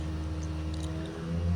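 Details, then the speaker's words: Worcester combi boiler, noise starting when a tap is turned on: steady low droning hum with a rough, wavering tone, diagnosed as a worn bearing plate in the fan. "Yep, that sounds like bearing plate in the fan to me. It's definitely something to do with the fan anyway, so let's get it stripped down and see."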